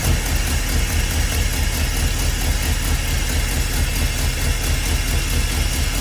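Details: 1977 school bus with a swapped-in big-block Ford 400, first start after timing was advanced from a very low idle: steady, even low rumble with no knocks or misses; healthy V8 idle.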